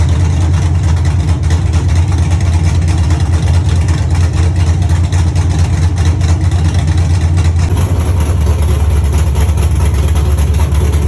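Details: Dropped Chevy truck, cammed 5.3 V8 with Texas Speed 232/234 110 LSA cam, first run after fixing ground issues and missing connections: deep loping idle, uneven choppy beat over open headers, running steadily; healthy.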